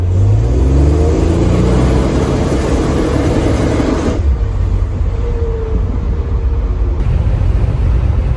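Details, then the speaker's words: 1984 Buick Grand National, new engine, after TPS wiring fix, ~80% throttle: strong pull with rising turbo whistle and wastegate flutter, instantly responsive, 12–13 psi boost; healthy spool, nothing abnormal. "Even in low throttle conditions, I can hear the spool up even more. It's instantly responsive. I can hear the wastegate flutter."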